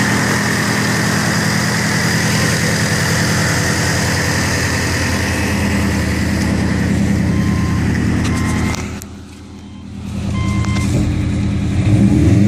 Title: Turbo whine